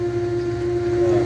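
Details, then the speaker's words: Electric fuel pump in a new return-style fuel system on a carbureted 1969 Mustang, first run, building about six psi: a smooth, steady mid-pitched hum with no rattle or surging, quiet and healthy. "that's the first time I've been trying I'm actually pretty quiet yeah I won't sound like a fish aquarium"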